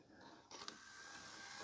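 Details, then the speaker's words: Hitachi TV DVD combo VC326000: loading motor whirs into a steady buzz with a couple of clicks, but the disc is not taken in; sensors and motor work, but the end gear doesn't turn, suspected cracked or stripped gear. "So the sensors are working, the motor's spinning, all these gears are spinning, but this one at the end's not. So I reckon we might have a cracked gear."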